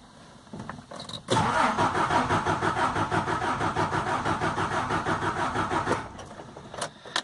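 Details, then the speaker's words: Car engine with five injectors and a cold-start system, being checked for slow starting. The starter cranks briskly and evenly, about three beats a second for five seconds, without catching: battery and starter are fine, so the fault lies elsewhere. "ustedes escuchan este sonido sea al darle al start y está girando el motor está girando rápido así como ahorita entonces quiere decir que la batería y el arranque están bien"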